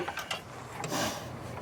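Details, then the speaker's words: Attwood RV furnace blower wheel spun by hand after fitting a new blower motor and tightening the screws; light whirring coast-down with no scraping or ticking against the housing, spinning freely, not hitting anything. "Spin that thing again. Sounds good. Not hitting nothing."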